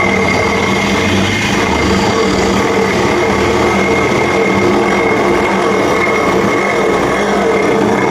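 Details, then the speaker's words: BS6 Honda Activa scooter, wheel spun by hand: steady coarse whirring drone with a faint ringing tone from a worn bearing, loudest at start-off and slow speed; bearing needs replacing. "അതായത് ഈ ഒരു ബെയറിങ്ങിന്റെ sound ആണ് ഈ കേൾക്കുന്നത്. ഇത്രയും വലുതായിട്ടുള്ള sound ഇത് വണ്ടി സ്റ്റാർട്ടിങ്ങിൽ നല്ല രീതിയിൽ കേൾക്കുന്നുണ്ട്."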